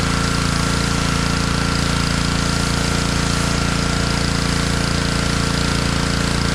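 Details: Honda pressure washer that sat all year in a basement, after cleaning water from its carburetor: a fast, very even single-cylinder beat, no misses, surging or knocks; normal running.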